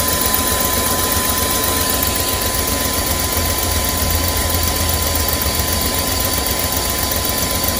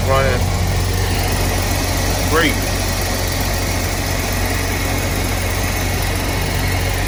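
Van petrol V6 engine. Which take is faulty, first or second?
first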